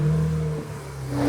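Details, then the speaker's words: 2008 BMW E90 335i with N54 engine: the cooling fan screams at a loud steady full-speed whir over the engine because the electronic water pump failed, setting DME coolant pump speed deviation codes after overheating. "You hear that cooling fan screaming? This thing is on overdrive."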